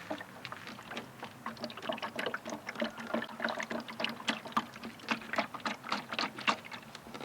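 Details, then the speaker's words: Newly fitted VW MK7 GTI tail light, removed and tipped back and forth: irregular sloshing and splashing of water trapped inside the housing; the rear foam seal piece was never supplied. "So that sounds like water. So let's let's see what happens here. Oh, yep. Yep. Yeah, that that's not supposed to happen, guys."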